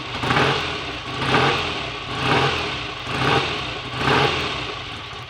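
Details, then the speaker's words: BSA A65 Lightning twin, first start after full rebuild with replacement crankshaft (previously 1.5 mm end float) and new SRM oil pump: fires up, blipped about once a second, revs rise and fall cleanly without knock; normal running. "okay that's not bad at all for a first attempt"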